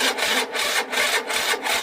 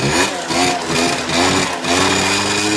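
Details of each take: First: Peugeot Speedfight moped after a fuel filter change: electric start attempt gives rough scraping bursts, about two and a half a second, as the starter churns but never catches; the starter motor is worn out, though the bike starts with one kick. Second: Peugeot Speedfight two-stroke moped, kickstarted: catches quickly with a lot of smoke and settles into a rising, then steady, raspy idle with no misses; it starts and runs fine.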